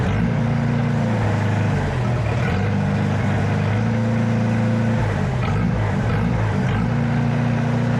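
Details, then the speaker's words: Farmall Super A tractor after governor repair (spring had bounced out of its cup, causing surging): steady, even low engine beat holding one speed with no hunting or surging; governor now holding cleanly, normal. "So, and you could hear that. That sounded normal, you know what I mean? It did not sound normal when it came. It had that surge to it."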